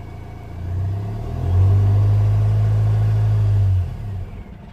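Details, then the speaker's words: 2015 Vauxhall Vivaro 1.6 CDTi diesel, normally cutting out at 2500 rpm cold and 3000 hot; with airflow hose disconnected it idles fine, revs to about 1500 rpm, then abruptly shuts off; airflow meter readings suspected. "You see? And it shut off."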